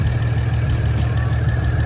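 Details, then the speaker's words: BMW 335i bought as a non-runner, now running after its first start: a steady, low, even idle rumble with no knocks or stumbles. Normal idle; owner judges it a good engine. "i mean this is a good engine to me right idling fine so good news we got a car that runs"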